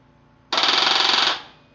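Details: Harley Street Bob that won't start: under a second of fast, even machine-gun clicking from the starter circuit, with no cranking and the engine not turning over.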